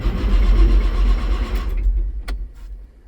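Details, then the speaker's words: Case STX375 articulated tractor with Cummins diesel: starter cranks evenly at about four turns a second and never catches; engine fault code 428, fuel pressure low at the fuel rail, so no start. "see we've got an engine fault and it will not start"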